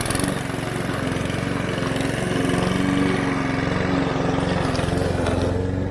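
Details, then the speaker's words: Mountfield HP 414 petrol lawn mower that started then died, after carburettor cleaning: steady, even engine beat while cutting grass with no hunting or surging; running smoothly. "but it's certainly running a lot better it's functioning now"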